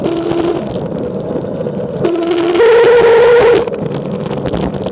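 A steady road drone with a distinct mid-pitched whine rising in for about a second on the descent; cause not evident by ear.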